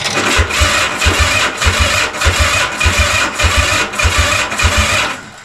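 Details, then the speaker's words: Honda CB450/CB350F project on a cold January day, battery at 12.2 V at rest dropping to 8 V while cranking: slow, labouring turnover, about nine pulses in five seconds, and it never catches. Probably low battery. "Yeah, it goes down to eight. Jumps back up to 11 point something. So, the battery is probably low."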